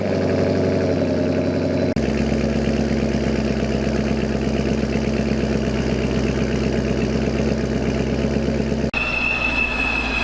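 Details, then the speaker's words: 2017 50th anniversary 6th-gen LT1 Camaro with Procharger, idling after a spark plug change: steady, slightly lumpy V8 idle with even firing and no stumble. Before the change it was sputtering and shaking; idle now calmed down and normal. "sounds so much better believe it or not before i mean it was just sputtering and shaking we got idols already calmed down right where it needs to be"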